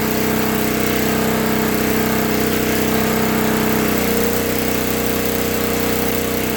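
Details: 1964 Lincoln Weldanpower 150 AC welder/generator (year guessed) after a new coil, condenser, plug, plug wire, fuel line and filter, and reset points. The magnet had been rubbing the coil. Single cylinder held at high steady speed welding 6011 rod, even note with a slight dip midway. Runs clean and strong.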